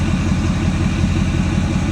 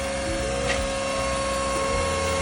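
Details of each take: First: 2024 Ford F-450 6.7L Power Stroke diesel at idle with a properly installed FASS 140GPH Titanium Signature Series fuel lift pump; even idle with a steady low thrum and no pump whine. The pump is barely audible, normal. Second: Fuel lift pump: steady electric whine at one pitch over low hum; strong pump but noisier than a properly installed unit, possibly from restrictive suction-side filters.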